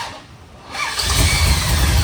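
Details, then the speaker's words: 1965 big-block Shelby Cobra with a carburetor, first start on the key after electrical repairs: starter whirr, then it catches only after fuel is sprayed in and the pedal pumped, roaring into a rough, rising idle. The choke seems not to close; hard starting. "seriously need to give it some gas check this out spraying some fuel give it a couple pumps I don't think the chok's working on that carburetor either I've never seen it close"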